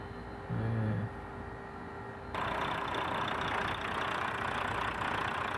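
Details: Volvo D13 diesel truck engine that was hard starting, after fitting a new filter housing: settles into an even, steady idle with no misses, knocks or hunting.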